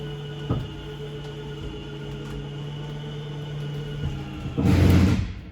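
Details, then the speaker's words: RV slide-out motor on a 2021 Wildwood 353FLFB travel trailer running the living room and kitchen slide out with an even hum. Loud ratcheting clicks at full extension are the normal end-of-travel signal to release the switch. "which will, once this slide is out all the way, you'll hear the motor start clicking, and that's when you'll let go of the switch."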